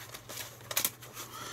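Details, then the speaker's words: Sinclair ZX Spectrum +3 during a 30-year-old repair and restore, disk drive spinning with old disks that fail to load: faint steady motor hum with light uneven head clicks; mechanism judged to be going round well and passed as working. "not saying it's not working it's all going around pretty well so I'm passing that as a"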